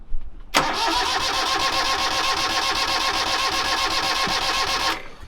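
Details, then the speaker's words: Sailboat engine cranked at full throttle in neutral, with fine high-pressure fuel mist seen earlier that isn't building up: the starter spins evenly for about four seconds but never fires, as no fuel reaches the engine yet. "okay let's let it sit for just a second five now okay no fuel yet and we're definitely a full throttle"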